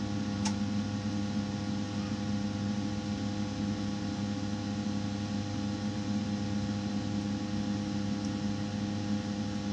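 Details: Rinnai tankless water heater throwing error code 10, before blower replacement, with debris already cleaned out: a steady drone with a faint rattling buzz underneath. Owner suspects a worn blower bearing causing the vibration and code 10.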